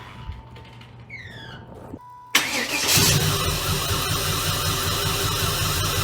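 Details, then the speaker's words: 1996 Impala SS, stock LT1 with headers, exhaust and TorqHead conversion; coils have been failing one by one; fuel pressure reset from 55 to about 45 psi. Engine catches after a short crank into a lumpy, uneven idle; misfire suspected from injectors or coils. "just so you know how it's been running you heard earlier but it sounds like there's a miss it could be fuel injectors coils or um either one"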